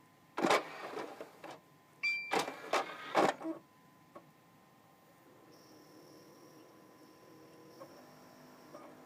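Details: Xbox 360 Slim DVD drive with an old game disc inserted: short bursts of clatter and whirring as the disc spins up, then faint ticking as the laser moves back and forth very fast; slight grinding.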